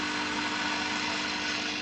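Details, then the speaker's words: Early-2000s Snap-on 60 A 12 V workshop battery charger after repair, set on low and charging a battery: steady airy fan rush over a low even hum, fan and charger running normally. "hey the fan works you can hear it humming away"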